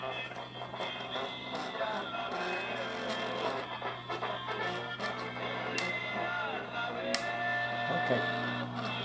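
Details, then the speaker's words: Radio being prepared as a gift, playing music: steady low buzz rattling with louder notes; speaker cone rim has come loose and needs regluing. "Okay, that vibrating of the speaker, that buzzing, okay, look at this. The rim of the speaker is loose."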